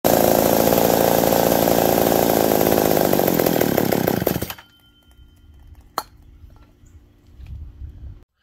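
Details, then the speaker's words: McCulloch 790 MC101 chainsaw during a cut: raspy high idle that stays up then cuts out; leaning out, later traced by carb-cleaner spray to an intake gasket air leak. "so don't like something like it's leaning out see if we go figure that out"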